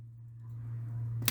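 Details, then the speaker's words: 1981 Mercury Capri with 200 inline-6, power applied straight to the starter: low steady electric whirring hum and a single click, no cranking; owner suspects bad starter. "attempt to turn over and nothing. So maybe the starter's bad. Like you can hear it just slowly whirring over in there like electricity."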